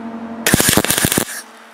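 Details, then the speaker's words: MIG tack welding spark-plug artwork: rapid, uneven crackling pops for under a second instead of a steady sizzle, an unstable sputtering arc. The welder suspects the wire speed is set too high. "You can tell my wire speeds or something's screwed up here."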